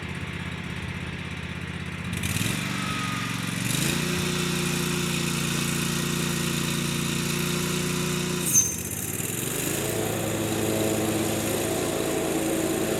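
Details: John Deere 345 with Kawasaki FD611V V-twin at about 490 hours, after revival repairs and a fuel filter change. Steady, even drone under mowing load, pitch settling after each throttle change; runs smooth and uses no oil.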